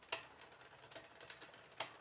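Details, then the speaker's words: Poseidon Triton road bike during build, rear derailleur upper pulley pushed too far inboard via barrel adjuster, out of plane with cog: sharp, uneven ticks every half second from drivetrain; chain ticking from misaligned rear derailleur. "now if you find it in a position that's maybe too far in board like this in that case you may start to hear some ticking or otherwise unwanted mechanical noises like"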